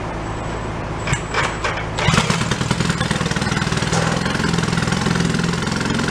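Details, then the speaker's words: 1937 Sears Water Witch 2.5 hp outboard, 83 years old, revived after decades in a shed, running in water: small two-stroke catches and settles into a fast, even buzzing run that picks up steadily as throttle opens; normal, healthy running. "we got water now i'm gonna go with one turnout sounds good let's give her a little more throttle"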